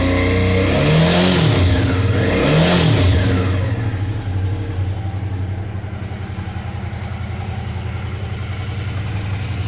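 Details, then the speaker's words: Suzuki V-Strom 650 after fixing a loose footpeg that rattled metallically around 5000 rpm from engine vibration: two throttle blips then a steady even idle, smoother with no metallic rattle. "mas tá aí agora fica mais suave o barulho então fica essa dica aí para quem tá com esse problema"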